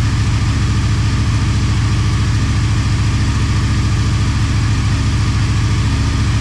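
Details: Motorcycle idling on second start after full teardown and rebuild, coolant and oil topped up: steady low idle with even beat, no knocks or rattles; normal idle.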